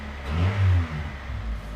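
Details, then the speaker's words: Low-mile 1989 Honda Prelude just started, with bad-smelling gas that is probably old. Short deep rev rising and falling with a coarse, rumbling exhaust tone; sounds rough but not obnoxious, cause not pinned down. "I mean it doesn't sound good but it's not like as obnoxious as my Miata was"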